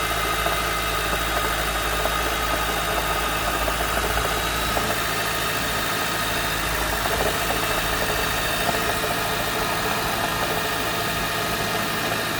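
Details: Honda CR-V Mk5 Hybrid at cold start: fast, light ticking rattle over a steady engine hum; knocking rattle at cold start, cause not yet found.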